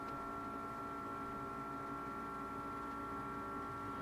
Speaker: And I don't know if you can hear my new fridge is making a noise. Can you hear it? Is that normal?